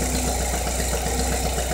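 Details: 2.2 Ecotec at idle after replacing the cam phasers, timing chain guides, tensioner and cam actuator solenoid: a quick, regular tapping knock remains, source unknown.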